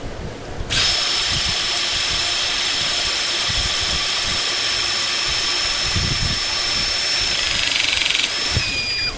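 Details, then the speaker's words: Pinchen HL-400B cordless hydraulic crimping tool after replacing a broken O-ring to fix an oil leak: even motor whine about seven seconds, then brief pitch change as pressure releases and the ram returns; normal crimp cycle. "Được rồi, nó sẽ tự quay lại Điều này là bình thường kiểm tra lại"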